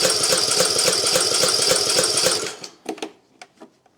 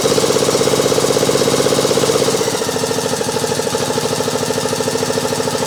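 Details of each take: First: Craftsman YT 3000 lawn mower on key start with full choke, after a gap adjustment: fast, even starter cranking that never catches. The engine is flooded with excess gas on the plug, though spark is present. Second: Craftsman YT 3000 lawn mower running properly with a steady, even thump and no misses or knocks. It needs full choke and a little throttle to start, and some oil is burning off the muffler.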